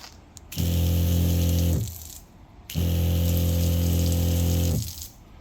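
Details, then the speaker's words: Newly installed battery-powered SEAFLO water pump after priming. Deep, even drone runs about a second, stops, then restarts for two seconds: the pressure switch is cycling cleanly and the pump is healthy. "And that was the pump getting air out, getting full flow on water pressure, and now you can hear the pressure switch is working."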